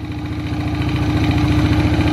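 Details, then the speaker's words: Ogar 900 moped two-stroke engine, first run: quick even putter at steady speed, no misses or knocks, not smoking, idling smoothly while warming up. "żeby najśmieszniejsze tym wszystkim nie kopci poczekajmy chwilę rozgrzeje się zobaczymy"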